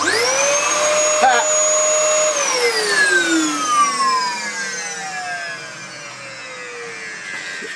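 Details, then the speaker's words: Dyson DC07 vacuum bought for £10 with a blocked nose, run with the brush roll taken out: motor whines up to a steady high pitch and winds down smoothly; motor healthy, fault is the slightly melted brush roll. "Nothing wrong with that at all. It's just the brush roll and it's melted a little bit there"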